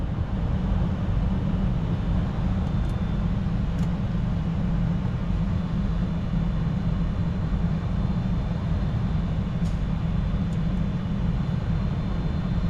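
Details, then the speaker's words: 2014 Toyota Venza after blower motor replacement: steady, even low rush of air, no ticking or scraping; old motor bound up from a clogged cabin air filter obstructing the fan. "there we go now it's blowing okay I figured out why I wasn't blowing so hard that my friends is a very bad air filter cabin"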